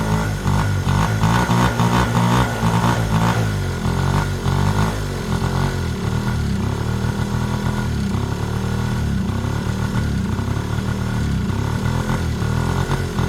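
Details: Yamaha Razz scooter with Yamaha Jog two-stroke engine, first run after 11 years sitting, carb flooding: uneven buzz that surges and sags on throttle without revving cleanly; won't throttle up, carburetor issue suspected.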